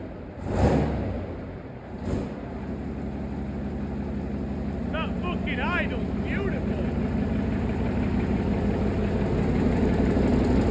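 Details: Replacement engine for a Chieftain tank, first test run out of the vehicle: deep, even beat that climbs smoothly as it revs, no knocks or misses; idles beautifully, healthy engine running sweetly.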